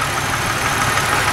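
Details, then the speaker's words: 1995 Pontiac Grand Prix SE coupe, 3.1L (3100) V6, automatic, cold start: light quick tapping over a smooth idle, fading as it warms; piston slap common to GM engines of this era, gone after about two minutes. "and again I'm going to mention the Piston slap that's very common for vehicles from GM of this era of the generation that this car comes from it goes away after 2 minutes worth of running"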